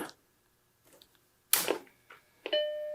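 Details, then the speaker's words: Macintosh SE powered on after repair, case off: short click then one clear sustained startup bong, hard drive spinning, light flashing; normal chime, though later flashing disk suggests bad hard drive. "i got a bong i hear the hard drive going i see the light flashing the screen is not warmed up yet"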